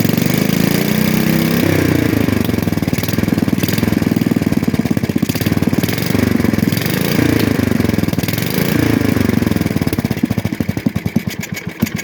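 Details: 1966 Custom 6 engine, reassembled with a new starter-generator bearing, pull-started off the broken pulley side, starts and settles into a steady, even single-cylinder putter with no knocks or misses. It smokes from water in the bore and cleaning oil. Normal running.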